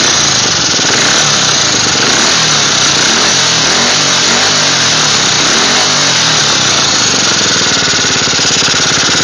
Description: my 1985 yamaha 225DX making a clicking noise while running after engine rebuild